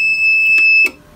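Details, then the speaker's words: APC Back-UPS 550 found in a dumpster: 12 V output measured at 13.69 V. After reinstalling the battery and running diagnostics, it gives a steady near-one-second high-pitched bad-battery alarm, confirming a battery fault. "so we know we're getting an output so we know that confirms that there's an issue with the battery all right guys so i put the battery back in it push that let it go through the diagnostics again see it's getting that alarm"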